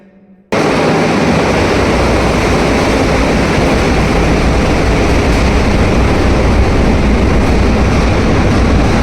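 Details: Large hydro turbine at about 107 RPM, 56-pole generator producing 50 Hz: a loud, constant deep rumble with gravelly crackle and no pitch change, possibly gravel or cavitation, cause unconfirmed.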